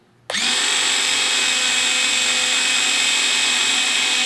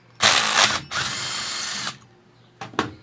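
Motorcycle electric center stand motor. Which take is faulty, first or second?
second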